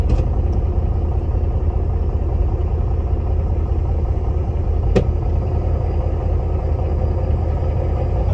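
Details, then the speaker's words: 12-volt truck that had hard cold starts, first start after replacing all batteries: it starts very quickly and settles into a steady, deep idle with an even rumble, no knocks or misses. "so this is the first start let's see how it's start wow that's amazing you see it's very quick"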